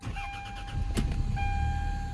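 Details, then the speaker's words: 1996 Toyota Camry sitting about five years as a non-runner, restarted after fixing a ceramic-housed fuse: brief starter whir, then it catches almost immediately and settles into a steady, even idle, no knocks or misses; normal start and idle. "she even runs and i am not kidding you folks this thing started and ran almost momentarily that well"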